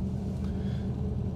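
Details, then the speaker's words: 1972 Chevy Camaro V8 at idle, no throttle, A/C switched on: deep, steady, even burble, RPM dipping briefly then recovering, no misses or knocks. Normal idle. "I felt the RPM drop just a moment then it went back up to where it's supposed to be"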